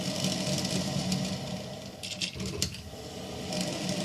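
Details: Hamilton Beach stainless steel 12-cup electric percolator model 40614R heard from about 3 feet away during its roughly 8-minute brew; steady bubbling hiss with irregular pops and gurgles a few times a second, brewing normally.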